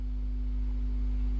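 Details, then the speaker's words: Hacker AL42 amplified speaker: a steady low hum with a few fixed tones, which the repairer suspects is mains hum picked up by unscreened, crossing wires that still need sorting. "I mean, you can hear the hum there, but that is literally just the fact that these wires are not screened."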